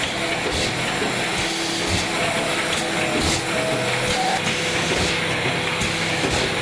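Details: AccuCreaser air-fed machine in crease mode with under-250 mm sheets (trifold), after measuring a single sheet: steady airy vacuum-feed hiss with soft, even rhythmic sheet-feed thumps; normal running.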